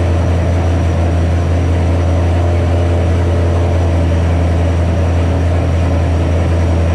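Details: 2007 Ford GT500 supercharged V8 at first start after L&M NSR cam install with Venomous tune: steady fast even drone that never settles; new tune holds idle too high, later brought down by a tune revision.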